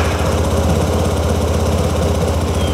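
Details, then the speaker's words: 2009 Yamaha TMax scooter after new spark plugs, battery partly charged: low uneven chugging idle with stumbling beats, barely running; owner suspects clogged injectors, exhaust smoke and running hot, then a failing fuel pump. "oh my God it's running barely I just get the feeling that the injectors are clogged"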